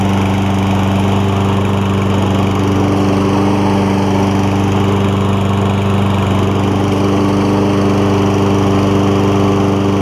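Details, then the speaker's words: Toro Recycler Kohler mower, choke modified to sit 1/8–1/4 closed and tied to throttle vane: steady, even drone at constant pitch with only the faintest slow swell; runs great. "The choke is open far enough to where it runs great. When it's just maybe like between the 1/8 and 1/4 closed, but it's kind of directly tied to the throttle vane, and so it does surge a little bit when you first start it, especially when cold."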